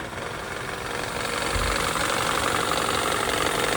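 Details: New long-block engine idling: a steady, fairly regular light knock about four a second rides over the idle; cause not pinned down.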